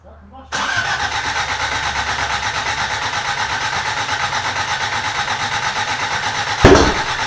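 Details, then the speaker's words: Toyota Corolla being reassembled, cranking on fresh gas after old fuel found bad: steady fast cranking that never catches, then one sharp pop; flames out the exhaust, no timing mark seen with timing light, ignition timing suspected 180 degrees out. "okay so we just threw a a timing light on there and I don't see any mark at all while we're cranking it so thinking it might be 180 degrees off"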